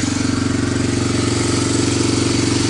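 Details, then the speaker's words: Barn-find Honda TRX250 parts ATV, first run after refitting the carburetor, checking oil and using a portable CDI: steady, even single-cylinder idle with no misses or knocks, exhaust hot; runs cleanly. "not bad for a parts bike it did start and it looks like it has the potential to move"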